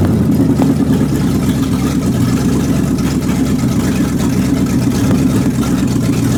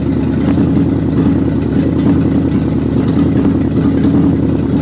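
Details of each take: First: Warm 360 engine with thermostat open and no fan, water circulating: steady mid-pitch run with a slightly lumpy beat, a miss; owner suspects the carburetor gasket and funky vacuum lines, not confirmed. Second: Rebuilt 360 engine, new belts and hoses, thermostat opening: steady, even low drone at constant speed with no clatter standing out; runs healthy though some popping and missing is blamed on the carburetor gasket.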